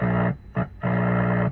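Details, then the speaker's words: Repaired 1930s Philco 37-84 cathedral tube radio with field-coil speaker, filter capacitors raised to 22 and 16 µF: steady low hum with bright tones cutting in and out as the RF stage is touched, showing it is working; radio reception still weak, antenna unadjusted. "소리가 나죠. 동절한다는 소리입니다."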